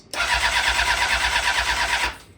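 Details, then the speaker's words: Honda CBR 600RR, about 10,992 miles, after engine failure and repair, fresh battery fitted: strong even starter cranking, engine spins freely but never fires; suspected no fuel getting through, hoses to be checked. "Yep. Yeah, there's something going on with the no gas."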